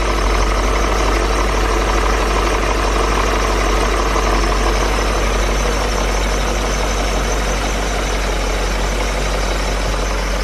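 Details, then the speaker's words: 2003 BMW E39 M5 V8 at idle, almost a cold start, just after replacing the spark plugs to address a possible misfire; Vanos is quiet, and it has run only a couple of minutes. A steady, even idle hum with no misses, running fine. "This is an 03, so it's pretty quiet in regards to the Vanos. And this was literally almost a cold start. I did have it on momentarily while I swapped. The M3 was in this position, of course, and it seems to be running fine."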